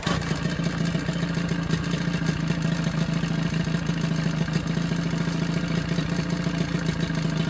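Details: Johnson 9.9 outboard after a carb kit rebuild and new plugs gapped to spec: steady, even low putter with light clatter, no misses or surging, pretty quiet; smooth normal idle.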